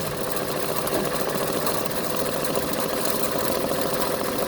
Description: Machine has grinding sounds while operating